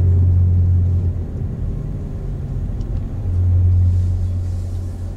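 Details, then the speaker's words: 2005 Toyota Matrix AWD while driving, deep steady droning howl under road rumble, holding pitch at speed, not the squeaky brakes; camera belted in the back seat near the noisy rear corner; owner suspects a worn rear wheel bearing and bought one. "well i bought a bearing for it because i thought it was a wheel bearing i guess you can hear it"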